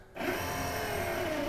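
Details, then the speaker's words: 1972 Buick Centurion convertible, previously inoperative power window after diagnosis and repair; short, even motor whir at steady pitch with no strain or binding, glass now goes up faster on its own. Normal power window motor operation. "Yeah, it went up way faster, so I didn't have to help it up at all. I just went all the way up on its own. Yeah, it's happy now."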